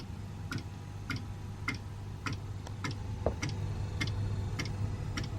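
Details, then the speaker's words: Eberspacher D4 Airtronic M diesel heater with EasyStart Select controller, first switch-on set to 22°C: normal fuel pump ticking at startup, crisp evenly spaced ticks about 100 a minute over a low hum as the heater starts. "Okay, I can't hear the fuel pump ticking yet. Okay, so currently I can't hear the fuel pump yet. Oh no, there we go."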